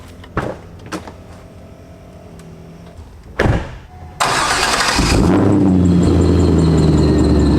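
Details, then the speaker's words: 2004 Chevrolet Corvette Z06 V8 with ProCharger kit, few thousand miles, squeal began on a long drive: cranks and catches, then loud steady high-pitched squeal over idle; stethoscope finds no bad bearings or supercharger squeal, slight low grind from tensioner. "all right that is a terrible noise well i looked through everything in here with the stethoscope and not one of the bearings sounds bad uh there's no squeal out of the pro charger"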